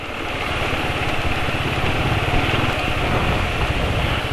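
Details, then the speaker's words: Rough engine idle on a motorcycle in fairly cold weather after about 200 km on Castrol Neutron oil; steady low throb with uneven, lumpy pulsing, rough since leaving the office; owner suspects the oil, cause not confirmed. "Assalamualaikum warahmatullahi wabarakatuh jadi ini suara mesin kasar ya"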